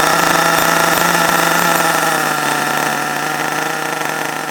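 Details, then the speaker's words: HPI Savage21 nitro RC truck after being drowned, throttle held open, fan blowing smoke out: high buzzy small two-stroke holds a steady scream, fading slightly but never stumbling. Running well now. "i've got the fan there blow the smoke out the door yeah running well now though i'm pleased with that"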